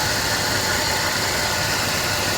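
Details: 2006 Dodge Ram 1500 Mega Cab V8 idling right after new spark plugs and valve cover gaskets were fitted and the coils refitted; steady, even idle with a constant hiss, no misfire or stumble, running on all eight, a hard first start after the repair.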